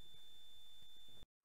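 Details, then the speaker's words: Thin, steady high-pitched whine from a vocoder project's power supply, overloaded by the extra current draw after expanding to 6 frequency bands. "how do I know that this high-pitched whine is the power supply well this is how"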